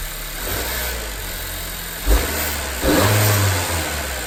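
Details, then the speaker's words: 2018–2020 Honda Accord 1.5T with newly fitted PRL stage 1 intake tube: smooth idle, a clean rev blip and an even settle, with a little extra air-release rush, possibly blow-off, as the throttle closes; slightly more sound, nothing crazy, healthy. "So I could hear a little bit more, nothing crazy, but a little bit more when you let off the gas. You can hear the, I don't know if you consider the blow off valve, but the air releasing, but a little bit more, nothing crazy."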